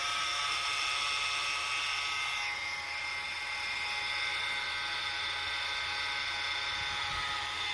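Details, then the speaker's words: 2013-2017 Honda Accord recorded from inside the cabin: thin steady high-pitched whine over a quiet background, supercharger-like, rising with acceleration; a dragging worn tensioner pulley bearing. "it has some drag to it so it's creating a noise and if you keep watching in these videos you will see what i mean as you accelerate the noise will get higher and louder"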